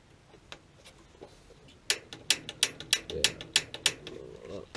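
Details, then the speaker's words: Replacement AO Smith water heater pilot assembly, for a rat-chewed spark wire, spark-tested before installing in a quiet dark room: sharp, crisp, strong snaps a few times a second, arcing across properly. "okay so it's arcing across that's where we like"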